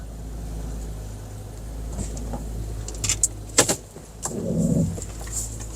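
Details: 2008 Lexus RX350 with about 114,000 miles, being investigated for a bonk noise, wheel turned while stationary after coming off ramps: a low drawn-out groan with a few sharp pops, judged normal from sitting.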